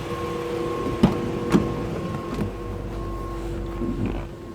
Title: A/C Condenser fan humming sound